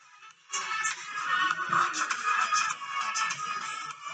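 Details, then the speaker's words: Apple MacBook (model 1502) laptop speaker after repair with rubber glue and reassembly: small, thin-sounding speaker plays music clearly, no buzzing, rattling or crackle; working fine and full. "I'm not sure how my mic is recording but it is working fine and it is full"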